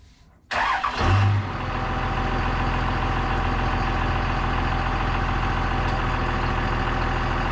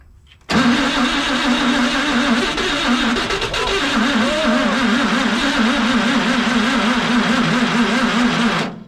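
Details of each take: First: CMP truck engine after distributor timing adjusted; starter catches within a second, settles into a steady, even low idle with no misses or knocks, noticeably less ticking than before; running normally, still needs more heat. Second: CMP engine, timing just set with a strobe light, cranking about eight seconds with a few ragged firing beats but never running; most it has ever done, needs more cranking speed.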